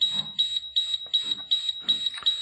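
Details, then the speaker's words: Diesel school bus with air brakes, key on at under 30 psi: shrill beep repeating about twice a second, the low air pressure warning that sounds until tanks build to 60 psi while the engine keeps running. "until that gets to sixty pounds of air you're going to hear horrible beeping and it's obnoxious the engine will continue to run"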